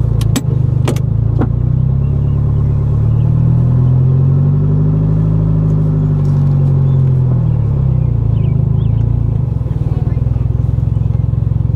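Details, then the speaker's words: Honda del Sol D16 after a full rebuild with low-compression turbo pistons, driving on the road: a smooth, even drone that rises and falls with speed, no knocks, misses or rattles; runs smoothly, slight power loss, no longer burns oil. "right so it runs really smooth now obviously it has a little bit of a power loss because of the low compression pistons"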